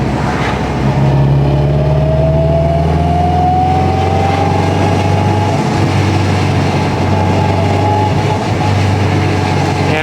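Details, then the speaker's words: 2021 Honda Civic Type R with freshly rebuilt engine, straight-cut gears 1–4 and transfer gears, cruising at 169 coolant temp, 58 psi oil pressure, AFR mid-14s: steady drone with rising straight-cut gear whine, no misses or knocks; running very nicely. "it's running very very nice"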